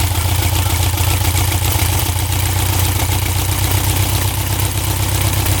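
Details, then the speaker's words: 1967 Volkswagen dune buggy, owner thinks the air-cooled flat-four is about 1300cc and notes it burns oil, restarted after a first ride following a non-running purchase: steady, even low putter at idle with no misses, knocks or hunting; smooth and healthy. "sounds really smooth doesn't it I'd say she's good to go"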